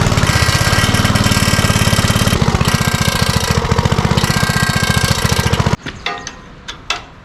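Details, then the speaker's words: 1970s Troy-Bilt Horse rear-tine tiller, single-cylinder engine, rattles up front when tipped forward: fast metallic rattle riding on the engine beat, about 3.5 per second, stopping at shutdown; engine shroud rubbing the flywheel. "today I'm going to be working on this 1970s horse tiller it's making a noise when it's tipped forward it rattles up in the front here I'm not sure what's causing it"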